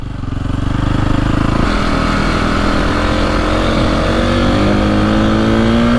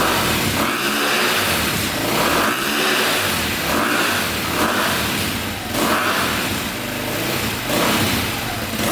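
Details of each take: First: 2002 KTM 400 EXC (sold as 450), warmed up, after fixing bogging and misfiring: crisp revs climb cleanly and hit the rev limiter at the right time; slight backfire and hesitation at start remain, owner considers a bigger jet. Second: 2002 KTM 400 EXC single revved in neutral climbs but breaks up near the top, like hitting rev limiter too early, bogging and misfiring; looks black; cause traced to incorrect carburetor jetting.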